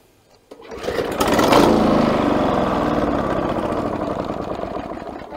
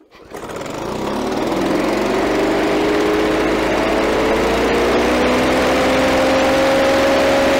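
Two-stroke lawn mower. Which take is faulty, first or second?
first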